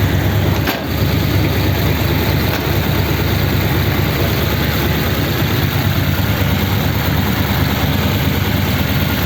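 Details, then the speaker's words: Freshly built 286 cu in flathead (3-3/8" bore, 4" stroke) Pendine beach racer, first start at fast idle: steady, even burble with no knocks, misses or surges; sounds healthy. A bang heard is the hood side closing. "that sounds a bit more like it fast idle get the oil splashing about inside that looks like it's okay"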